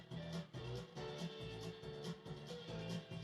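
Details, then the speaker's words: Monacor PA900 amplifier, 35 V DC supply, bias being opened up from minimum: guitar comes through harsh and gritty with buzzy breakup, more getting through but still very distorted; still underbiased, crossover distortion. "you hear more's getting through, but it's still very distorted."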